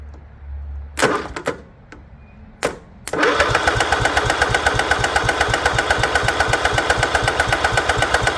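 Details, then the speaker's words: Craftsman lawn tractor, Kohler 16.5 engine left outside on a goat farm, fuel line disconnected, starter fluid and gasoline down the carb: steady starter churning about four pulses a second, no catch or firing; cranks but no start, no spark found. "so it doesn't look like we got any sparkage let me uh figure out why"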